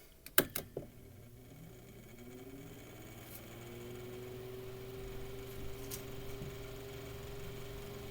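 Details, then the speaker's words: Mainstays 9-inch high velocity fan after cleaning, oiling and blade balancing, in a cold room; switch clicks, then the motor hum rises to a quiet steady tone with no rubbing or rattle, its startup sound; healthy running. "yes it is cold down here let cigalette warm up it's kind of very it's got a very distinct sound to it too"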